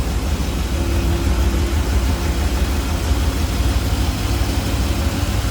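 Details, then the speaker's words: 1978 GMC Sierra K10 4x4 V8 with four-barrel carburetor, HEI ignition, warmed up and off high idle: deep even rumble, no knocks, ticks or misses; runs smooth, healthy idle. "batteries from 22 runs smooth looks good sounds good underneath there listen to that baby purr"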